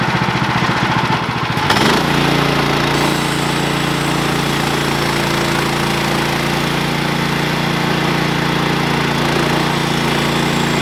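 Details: Sawmill engine pulses under a cut, then jumps to a steady higher drone as the blade stops during the cut. The cause was a worn-out, slipping clutch and a worn drive belt.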